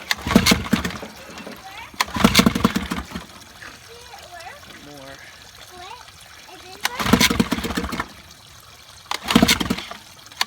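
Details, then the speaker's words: 1955 Evinrude 7.5 hp fleet twin two-stroke outboard during restoration, new coils, replacement carburetor, spark plug wires swapped: catches in short ragged one-second bursts then dies each time. Starts briefly then stalls. "Running. Yep. Didn't stay running."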